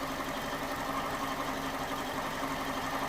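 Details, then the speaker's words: 2011 Ford Ka 1.2 after misfire repair, injector fault (P0203) fixed, and a mistake at a spark plug corrected: steady, even idle hum with no skips or stumbles, no faults detected, running smoothly on all cylinders. "so the engine is now running pretty smooth to be fair with you look at that it's running really smooth as you can see"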